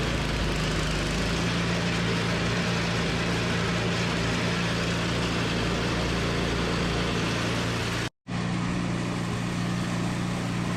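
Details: Toro 521 snowblower running after replacing a blown drive belt with a tight new one. Small engine holds a smooth, constant hum at steady speed with no misses, rattles or belt squeal; sounds healthy.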